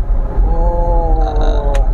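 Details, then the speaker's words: 2016 Nissan Grand Livina at idle: a steady mid-pitched whistle drifting slightly in pitch over the low engine hum, rougher than the engine itself; normal transmission gear whine, which Nissan says is not a problem. "itu dia menggunakan transmisi yang mirip sama dan itu dia ketika Idul dia akan timbul bunyi lebih kasar daripada suara mesinnya"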